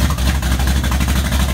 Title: 79 Z28 Camaro - first startup after rebuild